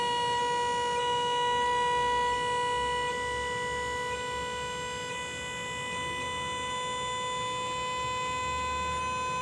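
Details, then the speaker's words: Hydraulic dovetail pump on a trailer, raising the dovetail past level: steady high-pitched whine that eases slightly as the load comes on; normal operation. "just past level pump will bear down once it goes back down and then we will be locked out"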